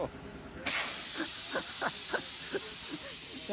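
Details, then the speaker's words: A Dodge Challenger Hellcat rear tire, a 275/40ZR-20 Pirelli P Zero Nero All Season XL, is mounted on a shop machine. Its bead snaps onto the rim with a gunshot-like bang after the knurled side beads resisted seating, followed by a steady rush of inflating air. "sounded like a gunshot, I'm not gonna lie. Those knurled side beads on the tire were causing it to not fit up onto the rim like it normally would, or as smoothly as a typical tire."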